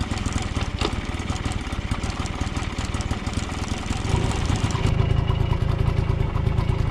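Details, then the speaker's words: 1980 Yamaha QT50 two-stroke moped, first start in eight years, on premix fuel: fast, uneven buzz that never drops to a slow idle, despite the air mixture screw all the way in and the idle screw backed out. A sticking throttle cable holds it open; the cable was replaced. "I started to adjust the carburetor and at one point I had the air mixture all the way in the the idle screw was out pretty much the entire way so it was still running high on idle high RPMs"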